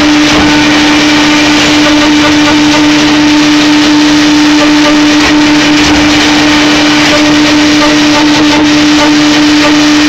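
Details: Hydraulic LP drive making strange noises, recorded from a different angle: loud, steady mid-pitched hum over a harsh hiss, sounding strained; after 3 minutes of operation the switching valve and cylinder number one run hotter than all other components.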